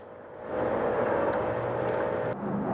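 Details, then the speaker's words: 1997 Honda Civic 1.6L SOHC VTEC, engine cold, with water found in the cylinder: a home-made leak-down tester holds the cylinder at 100 PSI and air rushes and bubbles steadily into the coolant, showing a leaking head gasket or cracked head. "that's a 100 PSI right there so we definitely got a problem in this cylinder"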